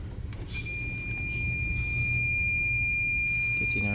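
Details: Hamilton Beach A3221 iron, 120 V 1200 W, constantly heating and sparking; multimeter gives solid continuity beep across plug legs where none belongs, traced to defective T230 thermostat stuck closed, replaced with donor T250.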